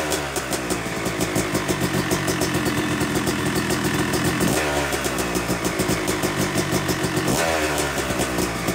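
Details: Yamaha YZ250 two-stroke (250cc/270cc) freshly rebuilt engine, second start after cooling, warming to about 100–125 degrees during break-in: crisp even ring-ding idle with gentle blips rising and falling cleanly; normal warm-up idle.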